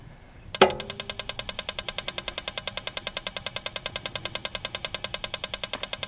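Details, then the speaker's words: RV water heater in horse trailer living quarters, propane, during dewinterizing: rapid steady igniter ticking about eight snaps a second with no burner whoosh; fails to light from air still in the gas line. "Still air in the system because the cooktop's there and the water heater's here. So should try again."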